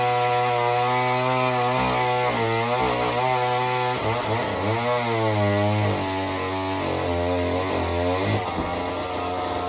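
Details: Homelite Super Mini chainsaw that previously wouldn't run, rev or idle, after repair: a high buzzing whine drops as the chain bites the log and climbs back without bogging or stalling. It runs strong.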